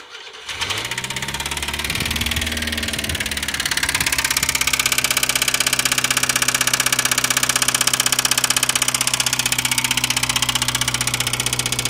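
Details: Subaru Sambar GD-TT2 engine catching and idling with a steady, even rattle of about four taps a second from inside the engine, engine internal rattle.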